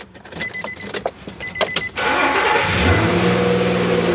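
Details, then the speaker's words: Nissan Frontier with an intermittent fault that ran badly below 50°F, started after the fix: a few key clicks, then the engine catches quickly and settles into a steady, even run; normal start. "So there she goes. She sounds good. I'm happy."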